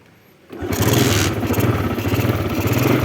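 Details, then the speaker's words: 2005 Smash motorcycle, weak battery so kick-started: engine catches on the first kick and settles into an even, smooth putter. Normal kick start. "Sekali gas langsung bunyi ya. Aman, mesin juga halus."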